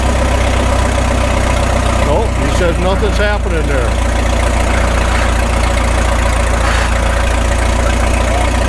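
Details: 1936 Caterpillar Twenty-Two tractor, stationary because the clutch will not release, after sitting for years: a steady low thumping idle with even firing and no stumbles, and the carburetor is judged to need no adjustment. Normal idle.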